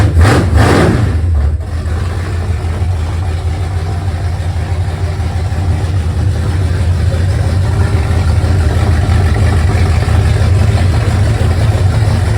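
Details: 1971 Mercury Comet 347 V8, first start after warranty repairs, new water pump and headers, engine reinstalled: cranks, catches, settles into steady deep even idle with no knocks or misses, about 58-60 psi oil pressure; normal idle.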